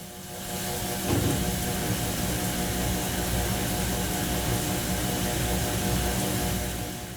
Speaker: As a last portion of the rinse routine, the washer does what is called spray rinse. This cycle is designed to ensure that detergent and soil are effectively removed from the fabric. During this phase, your washer combines spinning with water spraying.